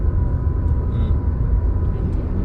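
Steady engine drone climbing with a thin high tone as revs build in first; normal cue to shift up to second.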